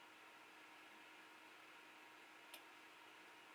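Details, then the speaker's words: 3D printer fitted with an automatic power-down relay, after a print once the hotend has cooled to 50°C: steady fan hiss as the bed slides out and fans and motors stop, then one sharp relay click. Normal shutdown. "the bed is going to slide out to 200 fans going to turn off motors turn off then you're going to hear the relay"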